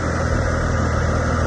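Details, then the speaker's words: 1999 Acura TL at idle after power steering pump replacement, flush and air bleed: steady, smooth hum with no whine, groan or air noise from the pump; fluid no longer bubbling, normal operation. "Clean. Very, very, very, very clean."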